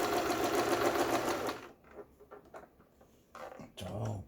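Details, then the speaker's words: Juki HZL-12Z small sewing machine, bought used and not stitching at all, test-sewing a straight stitch after full repair: a quick, even clatter of about 3.5 stitches per second, then handling noise, stitching smoothly without binding. Normal stitching. "직선 바느질. 자, 후진이 돼야 되겠죠. 후진."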